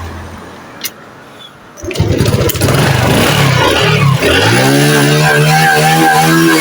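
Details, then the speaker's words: Honda Dream 110i fuel-injected motorcycle after replacing a dead fuel pump (fuel pressure 3 bar): cranks and catches quickly, revs up cleanly, settles to a steady even idle; normal start and revving. "ตอนนี้เปลี่ยนของใหม่แล้วนะครับก็สตาร์ทได้เร่งได้ปกตินะครับ"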